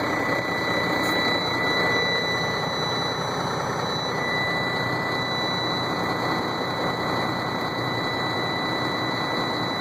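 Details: Sterling roll-off semi, cold start in freezing weather, frozen up and hard to start: steady high-pitched buzzer over cold diesel idle warns of automatic engine shutdown every ~30 seconds until the override button is pressed.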